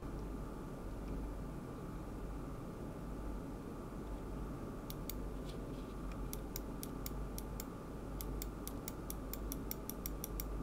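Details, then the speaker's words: AMD Ryzen 1800X desktop with a Corsair H100i cooler, idling at about 39 °C with all fans on a quiet setting: very faint even whoosh and soft hum, no rattle or whine; a normal, barely audible fan noise. "we really can't have fans being picked up by the microphones so even when it's on top of the desk you can barely hear it"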